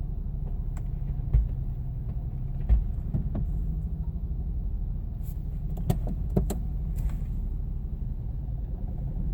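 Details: Subaru Impreza TS, warm engine: idle rumbles unevenly with occasional stumbling thumps breaking the rhythm; misfire with loss of power.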